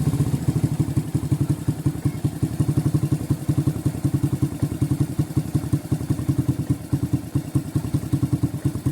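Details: Suzuki Shogun New after running out of oil, with worn rocker arms replaced and camshaft refitted: the rebuilt small single idles with even, steady low thumps and no top-end clatter; it sounds healthy.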